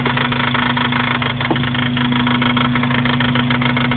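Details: Acura RSX-S idling: fast, uneven knock about three a second over the engine, coming and going, heard behind the transmission mount; owner says not engine or transmission, cause unknown.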